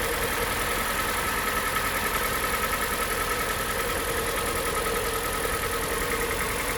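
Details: Hyundai iX35 2014, G4NA 2.0 engine, 76,000 km, cold start idle: dull regular knock about a hundred per minute under the engine note; piston knock, rings found stuck, bearings worn, rebuilt with block bored 0.5.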